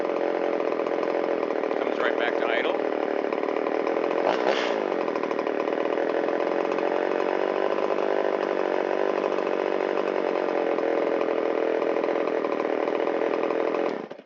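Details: Shindaiwa 360 chainsaw, long-stored, Walbro WT-89 carburetor, reassembled with air filter and cover: clean, steady two-stroke buzz with no hunting or bogging, settles to idle, then shuts off cleanly. Normal running and idle.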